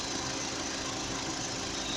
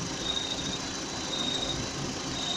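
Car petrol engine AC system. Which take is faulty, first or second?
second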